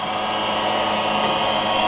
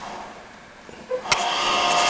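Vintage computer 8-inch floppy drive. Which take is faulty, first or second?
first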